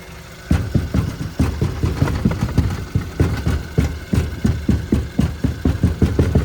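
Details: Car with a passenger-side rattle while driving, reproduced by banging the passenger door panel and underbody aerodynamic panel: engine idles with a tinny rattle pulsing about three times a second over the low rumble, typical of a loose heat shield.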